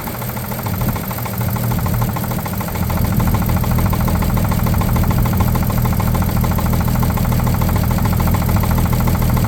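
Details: 1950 Chevrolet 3800 one-ton with Chevy 235 six, abandoned since 1977, running rough with steady deep rapping knock in time with the crank; full 60% oil additive did not remove it: worn rod bearing knock.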